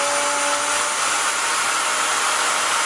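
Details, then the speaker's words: Vevor 5120 plunge router, 15 A, 3.25 hp, 3/4 in straight bit, straight cut about 3/8 in deep: steady high whine with cutting hiss holding pitch without bogging; normal running under load. "I like the feel of it, and it seemed to handle that with no problem."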